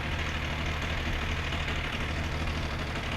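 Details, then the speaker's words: Benelli 899 TNT motorcycle idling with a fully stretched timing chain, slightly out of timing and misfiring, while injection sensor values stay even: uneven metallic chatter over a low, steady idle. Timing chain rattle. "la cadena está presentando un ruido y el motor está presentando una falla porque se encuentra un poco fuera de tiempo"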